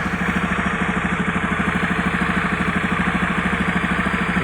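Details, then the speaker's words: Honda Beat carburetor scooter with abnormal ignition complaint, at idle: quick, fairly regular light ticking about three per second over the putter; engine ticking noise at idle. "untuk suara mesin ada suara ngeteng-ngetek-ngetek"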